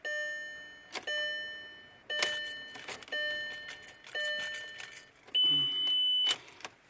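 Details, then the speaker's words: 2002 VW Passat wagon with EPC light on: turning the key gives only dash chime and key clicks, no crank, then the key sticks; fuel pump, fuel filter, MAF and crankshaft sensor already replaced, scanners read no codes; no-crank no-start. "my car won't start and I have the epc lie on but when I turn on the key it's not doing nothing it's just I told one time and then the key got stuck"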